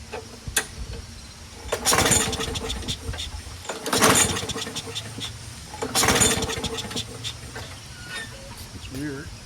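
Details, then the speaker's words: Craftsman 21in push mower, Briggs & Stratton Quantum 6.5HP primer-bulb engine: three pull-start bursts about two seconds apart, each catching briefly then dying; won't keep running, carb later recleaned twice. "well huh why doesn't it stay running oh God why can't it just be easy"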